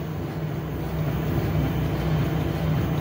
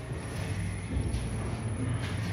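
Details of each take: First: Lexus RX350 front KYB shock absorber with air spring on test rig, final test after repair of knocking and oil leakage: steady mechanical churn, even stroke rhythm about three per second, no knocks or clunks; cycling normally. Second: Lexus RX350 KYB air suspension shock absorber on a dynamometric testbench: a low cycling rumble with dull knocks as it strokes. It has lost oil and runs on air, so the working diagram is asymmetric and it gives no proper resistance.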